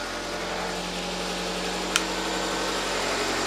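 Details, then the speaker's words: Nissan Micra K11 after the fouled spark plugs were replaced; before, it seemed to run on three cylinders. Now it idles evenly and smoothly with a steady light hum and no skipped beats. Normal idle after the plug change. "Okay, the improvement that spark plugs made on this engine is amazing."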